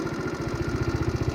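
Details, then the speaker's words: A GY6 Chinese scooter with a performance air filter, warming up with the rear tire turning, idles with slow, even low thumps, sounding good but with the idle a little low. "All right, so this sounds good. The idle is just a little low, which is,"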